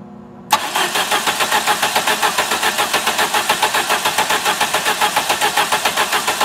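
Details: 1990 Plymouth Acclaim with rebuilt engine, timing belt looks good: starter cranks at a steady even pace just under two beats a second, never catches; no spark, distributor drive gear failed with filings in block.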